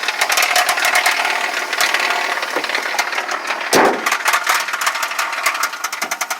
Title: Rod knock